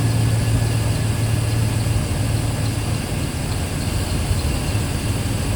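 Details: Work truck after breakdown repair, top cover off, checking for leaks before oil and fluid change: deep steady idle, even beat, no misses, knocks or rattles; running smoothly.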